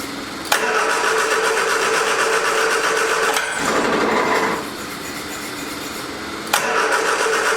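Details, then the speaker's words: 1979 Triumph Spitfire on its original fuel pump, with starting fluid sprayed at the carb: two bursts of even cranking about four turns a second, never catches. Cranks but won't start; owner suspects the fuel pump. "see we got it yeah we got no fuel so i don't think the fuel pump is working like it's supposed to"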